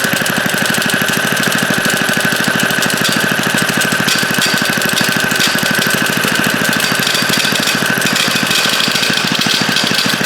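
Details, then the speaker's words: Revived late-1950s rototiller single-cylinder engine, carburetor and fuel tank ultrasonically cleaned, running steadily and well: fast, loud metallic chatter over the engine from the recoil starter; something not right inside the recoil. "at The Recoil sure making a lot of noise though I have to check that out something's not right in there"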